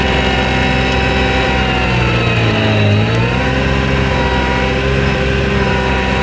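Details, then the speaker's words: New Vermeer SC1052 stump grinder cutting in extremely wet ground: steady engine note sags in pitch about a second as the cutter bites, then RPM recovers; normal bogging under heavy cut. "We're grinding with the machine. You can hear it bogging a little. It's extremely wet ground, but you hear it bogging and then the RPM comes back up."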